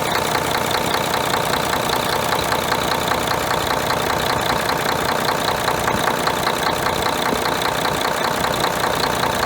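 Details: Mercedes-Benz MTU OM501LA diesel in a John Deere ADT at idle: rough idle with a hard knock two or three times a second plus blow-by; cause was broken piston rings on No.2 cylinder, fixed by replacing cylinder kits.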